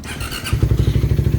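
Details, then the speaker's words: Single-cylinder motorcycle at 110 odometer, after repair: steady, even low idle thump with no ticking or piston slap, quiet compared to the earlier noisy state; exhaust pipe still somewhat loud. "Ayan guys tahimik na. Hindi nagaya kanina na palagpagpakinggan."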